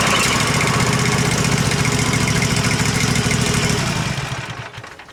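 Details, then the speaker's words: Husqvarna Z254 zero-turn mower engine after ignition coil replacement, run briefly with the shroud off so cooling air isn't flowing through; runs smooth and even at a steady rapid beat, no misfires, then winds down at shutoff; normal. "sounds pretty good you don't want to run it much longer cuz it ain't got the stoud on it so the wind's not blowing through the motor right"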